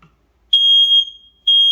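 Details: Newly installed replacement smoke alarm with green light, remounted on its base, sounding on test with loud piercing high-pitched beeps in a steady pattern; it works and appears compatible.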